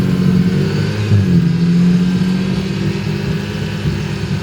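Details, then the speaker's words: Drag EG Honda Civic after a J37-to-J35 engine and transmission swap, during a hard pull: steady low roar under load, slightly uneven and rough-edged with no clear knock, but power seems all there; dyno check planned. "Well, in spite of the fact it sounds like it's running a little bit rough, I think the power is all there."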